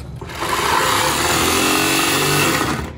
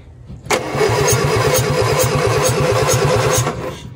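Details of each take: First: 1961 Morris Minor pickup, first start attempt after sitting, battery only: steady high whir for about two and a half seconds with no cranking; starter spins without engaging flywheel, owner suspects insufficient power or poor ground. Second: 1961 Morris Minor pickup with a jump pack connected after the starter failed to engage: even, brisk cranking about three and a half turns a second for three seconds, no dragging or clicking; normal cranking, fuel not yet checked.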